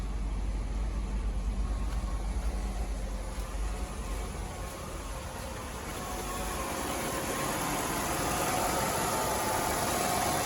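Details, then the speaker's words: 1998 Oldsmobile Aurora V8 that sat for years, warming up after a faulty flap part that made it rev up was fixed. Steady, even, smooth idle with no misses or hunting. A low coolant warning is possibly just a sensor. "So yeah, it sounds so good. Look at that. Sounds good. I almost spent hundreds of dollars just to try to figure out why it was revving up like that."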